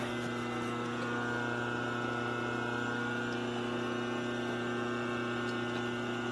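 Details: 1946 Harley 84ci stroker knucklehead rebuild, cranked in neutral during a timing check; it hit pretty hard at five. Steady rhythmic firing at about 200 beats a minute over a low drone; it catches strongly and evenly while cranking.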